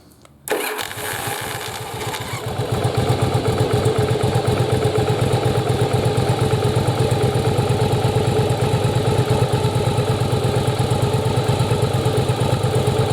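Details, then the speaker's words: Yamaha Virago rebuilt from parts, after swapping misplaced ignition coils back to correct the spark timing (F mark now aligned), possibly slightly flooded: it starts right away and settles into a steady, even idle; a normal start. "there we go so there you go so you can see the f and the two lines so swapping those coils makes it fire at the right time"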